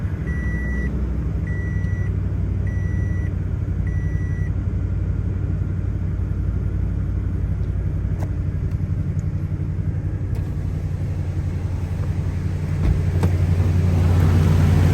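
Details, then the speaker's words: 2017 Toyota Tundra V8 after replacing all spark plugs, with aftermarket cold air intake, first start: warning chimes, then catches and settles into a smooth even low rumble, no misfire or stumble; running normally. "everything seems like it's running like it should so that's going to conclude this video"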